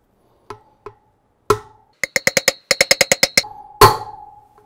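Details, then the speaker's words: BMW R90/6 front wheel outer bearing race being tapped in with a bearing driver set. Sharp metallic taps that turn crisp and solid toward the end, showing the race is fully seated. "That's the sound we're looking for. You can hear that solid sound, that you know bearing's in all the way."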